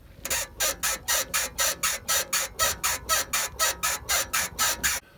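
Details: BMW 3 Series E90, floating suspension bushing (silent block), rubber intact, before oil-syringe lubrication: sharp high rubbery squeak about twice a second with each rock of the body; dry bushing squeaking.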